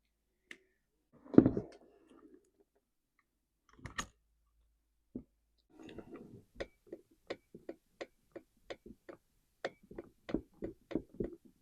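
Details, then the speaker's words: Husqvarna 345 chainsaw turned slowly by hand gives sharp, dry clicks about twice a second; assumed worn crankshaft bearing, saw wouldn't keep running. "I can hear something and feel something. I'm assuming it's a crank bearing."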